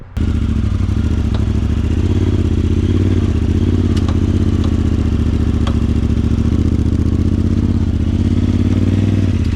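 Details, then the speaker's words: Lawn mower under way: loud steady engine drone with a few sharp irregular metallic clacks from the rear; rear clatter, owners believe the wheel-side axles after ongoing rear axle problems, unconfirmed. "You probably heard some pretty spicy noises coming from the back of the lawnmower uh we believe it is the wheel side axles"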